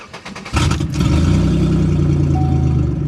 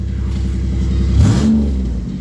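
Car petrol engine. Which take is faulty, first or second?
first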